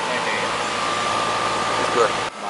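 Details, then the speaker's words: Air conditioning unit found at 0 psi, refrigerant leak fixed, recharged and superheat reset: steady even fan air rush with faint constant hum, no rattles or squeals; running and cooling normally. "this one's running but she got Cooling at least you know something's going on it's working"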